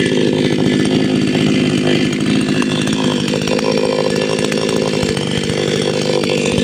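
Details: Patelo 5460 petrol chainsaw after carburetor tuning, running hard at high revs with a loud, steady, clean buzzing note; normal running.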